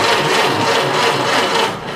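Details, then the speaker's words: 1930 Ford Model A starter after Bendix drive repair: even, rapid churning as the starter turns the engine over, with no harsh grind or clatter on engagement; normal, healthy cranking. "That's how it's supposed to sound."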